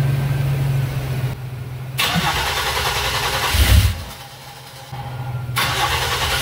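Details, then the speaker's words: Oldsmobile-style V6 diesel swapped into a C3 Corvette, started without the bladder: catches and settles into a steady low idle without stumbling or stalling; doesn't even stutter, healthy start and run. "we're gonna try starting it without his wearing bladder and it doesn't bleed down so easier it should start and run"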